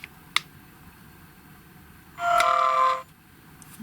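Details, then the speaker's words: GHD Chronos S8M261 hair straightener at 190°C, beep as it switches: short bright tone with a fast buzzy vibration from the on/off button, gone when the button is pressed and held; the piezo buzzer sits too close to the button. "you hear that vibrating noise I don't know whether you can hear it on this camera or not but if I press the button and hold it then you don't hear that vibrating"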